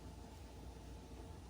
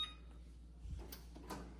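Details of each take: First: Gas oven burner after replacing the ignition part under the oven floor: steady, soft low roar lighting and running evenly, with no clicking; fixed. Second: Gas oven set to bake at 475: sharp spark clicks in pairs about once a second, gas escaping and smelled, burner never catching; igniter clicking without lighting.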